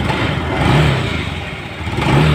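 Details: Honda Vario 110 scooter after gearbox repair (owner brought it for very rough "rak-rak" gearbox noise; cause found in transmission ratio gears): fires up and revs in smooth rising swells, no clatter or gear whine; transmission sounds healthy.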